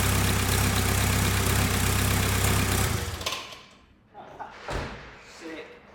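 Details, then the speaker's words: VW Caddy 2K with newly installed 2.0 BKD diesel, first start: steady, even diesel clatter at a settled idle with no knocks or misses; engine runs and sounds healthy, normal idle. "so that's a van done dusted engine runs that's good obviously I didn't know anything about this engine sounds good"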